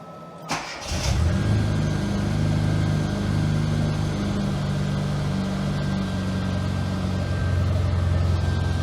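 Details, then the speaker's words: Classic Mini MPI after engine reassembly and head gasket repair, startup: idles unevenly with a wandering, lumpy, hunting beat; owner suspects a failed vacuum line or sensor, cause not confirmed. "it isn't idling perfectly to say the least so it could well be that one of these vacuum lines or sensors is well kaphut"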